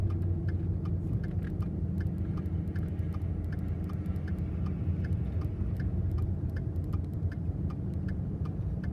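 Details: 2014 Ford F-150 3.5L EcoBoost at 95,000 miles, began about halfway home while towing a 30-foot camper: sharp irregular high chirps over a steady engine rumble, heard from the passenger-side turbo; cause not known.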